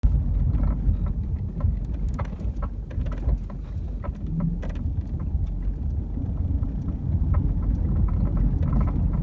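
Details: BMW E36 driving: over low road rumble, loose irregular metallic clatters from the rear compartment like a wrench bouncing around; caused by a bad rear shock mount, later fixed.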